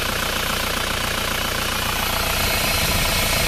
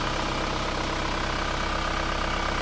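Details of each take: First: Isuzu Panther diesel engine just started, still cold, idling with a steady airy hiss over the knock from crankcase pressure; the PCV valve in the valve cover is blocked, pressure blows out the dipstick tube and the hiss stops when the dipstick is pulled. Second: Isuzu Panther diesel engine idling evenly with a smooth low rumble and no hiss after the blocked PCV valve in the valve cover was repaired; crankcase pressure now vents properly, a normal healthy idle.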